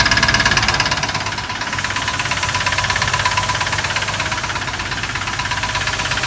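Steady idle with a sharp, regular ticking knock around three beats a second over a light hum; lifters or rod undetermined.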